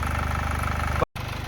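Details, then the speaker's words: Even idle with a light, rapid metallic rattle on each beat from a 2011 Chevy Malibu 2.4L Ecotec after cam phaser/cam sensor gasket repair; timing chain loose, owner suspects the hydraulic tensioner, not replaced. "Uh or the timing chain is definitely loose. And I'm I'm pretty sure that it's that hydraulic uh tensioner that's in there."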